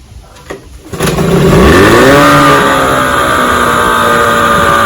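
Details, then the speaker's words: 1996 Johnson 15 HP outboard (J15REDO) in a water bucket after a carburetor clean, on 40:1 fuel mix instead of 50:1, so it smokes a little. It catches after a couple of pulls into a steady, even fast-idle buzz; runs pretty good and pumps cooling water. "she's smoking a little bit I got a 40 to 1 mixture in my gas because I work on the older Motors so it should be 50 to one so it smokes a little bit it runs pretty good"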